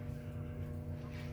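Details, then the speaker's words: Lionel 226E prewar O gauge steam engine pancake motor, fully rebuilt with new brushes, running after oiling the phenolic armature bushing: steady smooth low hum with no buzz. "Works good. It just needs a drop of oil once in a while."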